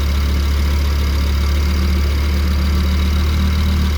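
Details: Audi RS3 DAZA engine after a rebuild, started with a new ethanol sensor fitted and the AC on low, run to check for leaks: steady, deep, even idle with a low hum and no knocks, misses or hunting; normal idle.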